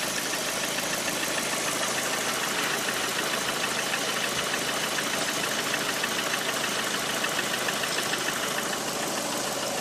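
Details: Lada Priora 126 engine, hot idle: rapid, dull, almost diesel-like knock, about three a second. Service diagnosed the piston groups as needing replacement; pulling the cylinder 4 coil stopped the knock when cold. After repair the knock was gone; car sold at 100,000 km.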